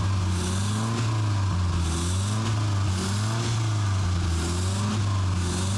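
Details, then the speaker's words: Old police cruiser sitting 40 years after a crash, carbureted engine started after reconnecting the fuel hose to the carburetor: stable idle, steady firm low hum with no knocks or misses; engine running healthy. "Yes, it actually started up. The idle sounds stable too. Just listen to that engine roar."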